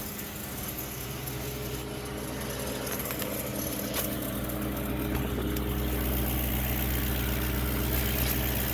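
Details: 2005.5 Audi B7 S4 at warm idle: steady, fast, light ticking over a smooth low hum, appearing only when warm, normal on cold start; owner suspects the timing chain beginning to go bad, unconfirmed.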